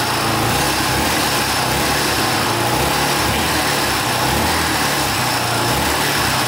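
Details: 1982 Honda XL500R single-cylinder running for the first time in years after valve adjustment, carburetor cleaning and reconnecting the pickup coil wire; fast, even putter at steady idle with crisp exhaust bark and no misses, a normal idle.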